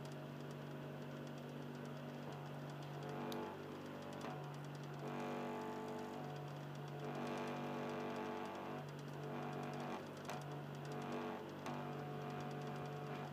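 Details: Xbox 360 Slim, Philips lite-on DVD drive, console in standby. Quiet, low motor hum cutting in and out every second or two with a soft rasping grind; lower tone than before.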